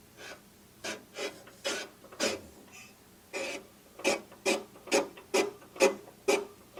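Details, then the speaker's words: Predator engine being swapped into a trash-found Lesko walk-behind leaf blower, turned by hand: slow rhythmic scraping, one rasp per turn at about two a second, as the flywheel rubs a housing rivet; pulling the flywheel out slightly stops it. "Yeah, if I pull out ever so slightly on the flywheel, I can get it not to make the noise."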